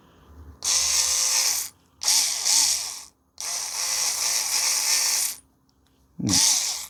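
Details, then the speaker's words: Arrma Kraton 6S differential rebuilt with ADU parts, spun dry before the diff oil goes in, after a tight part was removed and refitted: short bursts of light, even gear whir with no grinding or catching; it turns smoothly. "I think this is better. Runs smoother. You can hear it."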